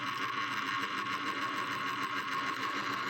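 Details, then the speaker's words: 1970s Panasonic AM/FM weather flip clock radio: the clock motor gives a steady, faint, scratchy whirring buzz. After an hour or two, once warmed up, it slows and stops as the mechanism binds, so it needs removing and lubricating. "the clock's running but making a noise and then after about maybe an hour or two it slows down and it will stop working once it gets good and warmed up"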